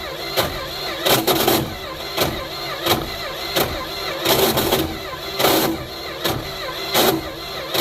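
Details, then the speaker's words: Neglected 1972 Plymouth Fury I, with gas poured down it, cranks unevenly with harsh raspy engagement from a bad ring-gear spot on the torque converter. It never fires; spark is doubted and the starter is suspected junk. "Well, that's a major bummer. Wonder if we're even getting spark."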